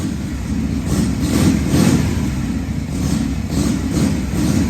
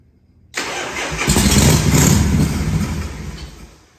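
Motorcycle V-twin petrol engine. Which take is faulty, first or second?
second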